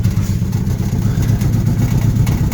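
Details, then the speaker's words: Alfa Romeo GTV on its first drive in 11 years, newly fitted oil cooler: low engine rumble with loose, irregular, intermittent tinny clatter from underneath, a heat shield rattling loose on the exhaust; water also noted in the exhaust. "we're getting a vibration from the exhaust I'm assuming it's going to be a heat shield drop down or something like that so it can be quite intermittent"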